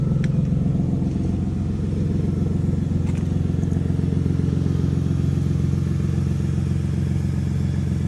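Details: Lexus GS300 with the 2JZ engine at cold start: high idle with a rapid, even puffing tick of about four per second riding over the unfiltered exhaust note, from an exhaust leak.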